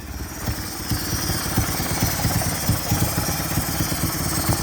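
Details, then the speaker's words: Mitsubishi 4G63 petrol engine idling at operating temperature, slightly uneven with steady high hiss over exhaust pulse; vacuum leak heard on one side, location unknown, despite new intake manifold gasket; idle wants to drop. "Alright, there's a vacuum leak somewhere, but I don't know where it is. I can definitely hear it. Sounds like it's over on this side."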